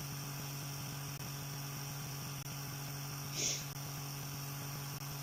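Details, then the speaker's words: Small motor on newly finished mount under load: steady low hum holds pitch with no sag or drop in speed, unlike the other generator which audibly slowed; coping well. "You see, when I loaded that other generator down, you could hear a discernible slowdown of it. You could actually hear it slowing down. You can't even hear this thing slow down. You can't tell."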